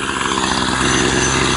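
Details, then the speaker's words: Troy-Bilt two-stroke string trimmer after dusting off its clogged air filter, held at full throttle once warmed up: high-pitched buzz at high revs, even and unbroken with no bogging or choking out; trimmer running cleanly. "once you got it once you got it going and warmed up then you're good to go it won't choke"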